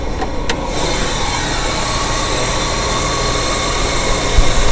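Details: 1994 Mitsubishi Diamante V6 just after startup: choppy idle with uneven stumbles, random misfire, engine shaking; engine mounts bad. Spark plugs, wires and fuel filter are new.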